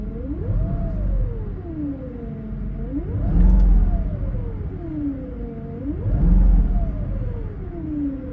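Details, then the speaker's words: 2006 Mercedes-Benz SL500 in park after an ABC-to-coilover conversion with the ABC pump replaced by a standard power steering pump. A clear whine rises and falls with each rev, tracking engine speed; the source is not pinned down. "Okay, do you guys hear this? I already started the car up. And I'm giving it acceleration. It's in park."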